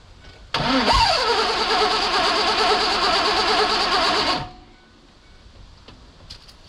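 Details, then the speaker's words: 2001 Mazda B3000 with LS swap, sitting 18 months, no coolant in: fires up cleanly after a brief crank with good fuel rail pressure and runs steadily for a few seconds; starts fine. "oh yeah woo hear that just took a little bit of a encouragement break clean back for your cylinders"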